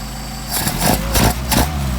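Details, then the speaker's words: Mercedes 190SL, rebuilt Solex 44PHH carburetors, idle mixture set around 600 rpm: three quick throttle blips rise cleanly and settle back with no pops or backfire, confirming mixture not too lean. "It seems to be our best running. Then we also will blip the throttle to make sure we're not too lean."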